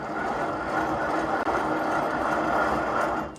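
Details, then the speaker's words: C6 Corvette wheel bearing, loose hub spun by hand with a steady, gritty rasping grind that should be quiet and smooth; worn wheel bearing, about to be replaced. "listen to the sound of this bearing you can tell it's not really a good bearing anymore this should be quiet and smooth"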